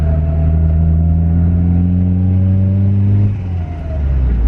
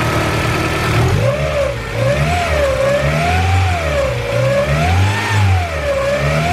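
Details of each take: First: Turbocharged Honda CR-V with B20 engine and 35R turbo, about 4–5 psi on the wastegate, spooling quickly. The rising boost drone drops into a rough fluttering chuff as the throttle closes: compressor surge because the blow-off valve isn't working. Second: Turbocharged Honda CR-V after tightening belt: revs rise and fall smoothly in even waves, no hiss, squeal or ticking; belt squeal gone, no exhaust leaks heard, healthy.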